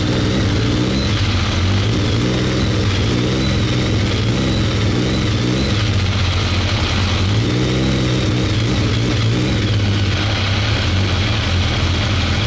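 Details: BMW K1200 R motorcycle, hot, fuel pressure 2.3 bar (low side), no fault codes: revs up and down unevenly with ragged stumbling pulse, runs rough and cuts out; cause not pinned down.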